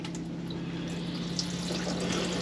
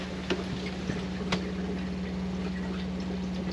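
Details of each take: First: Used motorhome wash basin tap opened after filling the water system: rushing water with uneven spits and gurgles over a steady pump hum; air still trapped in the lines causes spluttering. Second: Used motorhome water system check: steady, even low hum from the fresh-water pump running with the tap on hot while the roughly 10-litre water heater fills; normal, stops once the heater is full and the tap is closed.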